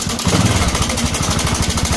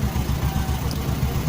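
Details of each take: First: Honda Supra 125 with rough engine noise, at idle: fast, even rattle over the idle beat in step with the engine, suspected slack cam chain or tensioner, to be checked by disassembly. Cam chain tensioner rattle. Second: Honda Supra 125 motorcycle at idle after the cam chain (keteng) tensioner was adjusted to cure a ticking top end: even, steady low thumping with no tick or clatter; the ticking is gone and the engine sounds healthy.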